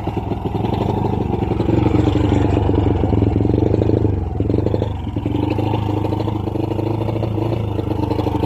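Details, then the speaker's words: Honda Wave 100 motorcycle blipped to full throttle: revs climb only slightly, sag and flutter without picking up, lacking power; engine fails to rev, cause unconfirmed, CDI to be checked first. "Yun no, kahit anong full throttle natin guys no, hirap talaga makabuelo ang pwersa ng kanyang makina. So ibig sabihin guys, may problema ang kanyang motor."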